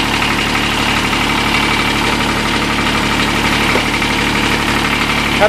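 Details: Kubota D722 three-cylinder diesel in TG1860 tractor, about 833 hours, cold start after sitting over a year on old fuel, alternator dead: steady even diesel clatter at idle with no misses or hunting; normal idle.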